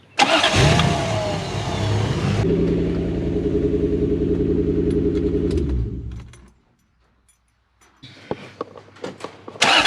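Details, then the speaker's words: Toyota LN106 Hilux with 1UZ V8 swap and automatic, after resetting the idle stepper motor (bearings suspected noisy, not working properly): brief crank, then steady even idle, no hunting; idle now comes up properly. "now we've got a proper reset of that stipper and it's hiding much nicer the idles come up"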